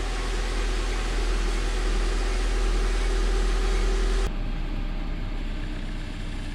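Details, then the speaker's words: 2004 Honda Civic EM2 with a D17 engine, first start after water pump and timing belt replacement, coolant not yet bled: steady low idle at about four beats a second with no knocks or rattles, so the idle is normal. "what's wrong nothing it started it's running um"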